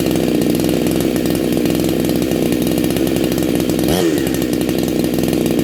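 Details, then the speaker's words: Neo-tec NH872 chainsaw (372XP clone) with a big bore kit and stock gasket, on a cold start during its second heat cycle. A loud, crisp howl holds steady at high revs with a quick dip and recovery, running clean and sounding awesome. "sound awesome absolutely awesome"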